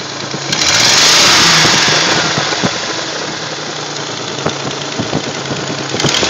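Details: 1979 Nissan 280ZX: engine blips and drops back with sharp, uneven clacks while revving and a rough, gurgling return to idle, both from beneath the front of the valve cover; clacking when revving, cause unknown.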